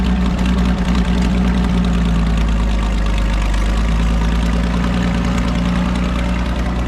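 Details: Farmall 560 tractor running after its carburetor was reinstalled, idle still being adjusted: a steady, even low rumble that holds its speed without stumbling or misses. It sounds good; normal running.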